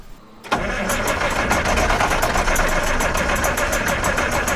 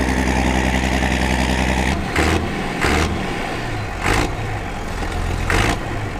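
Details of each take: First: Massey Ferguson 860 combine, Perkins 354 six-cylinder turbo diesel, sat six years, fuel system being primed, ether used: steady cranking three to four beats a second with ragged partial firing and some smoke; hard start from unprimed fuel. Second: Massey Ferguson 860 combine, Perkins 354 six-cylinder turbo diesel, first run after six years once primed: loud deep rumble settling into steady even run after handling noise, no knocking or missing; normal healthy running.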